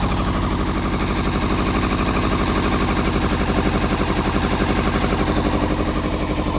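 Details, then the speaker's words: Motorcycle being started with the exhaust can slid on, no fuel pump connected, petrol poured into the fuel pipe and spray used: fast cranking with uneven firing, engine struggling to catch. "start it up again it might just uh crack up well we're getting there slowly"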